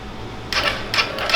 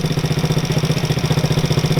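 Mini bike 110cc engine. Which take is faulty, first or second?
first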